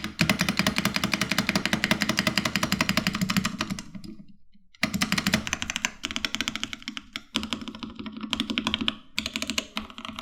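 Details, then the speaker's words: Sound test of a keyboard as received: quick, clacky typing with a hollow, rattly ring on heavier strokes; the spacebar stabilizers rattle badly. "The rattle on the spacebar was so brutal that I didn't really use this board on a daily basis, as I had other cheaper boards that had better sound than this."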